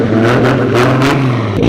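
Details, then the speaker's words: Four-door Supra street car with a Tomei titanium exhaust, revving hard: loud, coarse, droning exhaust note likened to a VQ, far too loud; the titanium resonance is thought to be the cause. "oh yeah it's loud it's crazy I don't know how it's so loud but it sounds like it sounds like a VQ"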